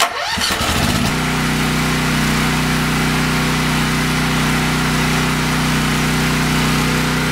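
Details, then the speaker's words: Briggs & Stratton 8 kW tri-fuel generator with newly added tri-fuel kit, started on pure propane with gasoline shut off: short crank, catches quickly, settles into smooth steady idle, much smoother than on gasoline; normal idle. "pure propane and it is a whole lot smoother it's very apparent"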